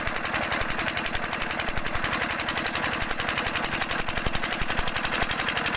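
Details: Single-cylinder diesel engine thumping steadily at about 220 beats a minute, sharp even firing knocks, nothing odd standing out; normal running.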